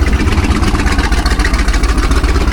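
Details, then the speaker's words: 1978 jet boat Ford 460 big-block: low, lumpy idle with a skipped beat, one cylinder suspected not firing, heavy crankcase pressure escaping; compression check to start with number seven, intake manifold gasket issue suspected. "And yeah, that doesn't sound very good. We got a ton of crankase pressure coming out of here, too."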